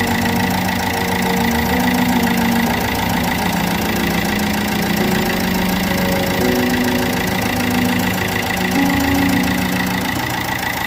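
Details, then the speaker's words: Opel Corsa D 1.3 CDTi diesel idling while warming up: rough idle with a rhythmic puffing tick steady with engine speed; the first injector's seal has failed, leaking compression, with heavy carbon around the injector; fix is removing it and replacing the seal. "So you could even probably hear the puffing the injector is doing. So it looks like there is the seal on the first injector is gone, and yeah, as you've seen, it's full of carbon around there."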